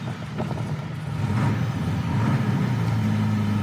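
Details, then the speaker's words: Jaguar Mark II, stone cold, push-button start after the electric fuel pumps tick, with the cold-start carburettors working. A low steady rumble settling into a slightly fast, even idle with no knocks or misses; a healthy cold start. "And this one's absolutely stone cold at the moment, so the little cold start carburetors come in."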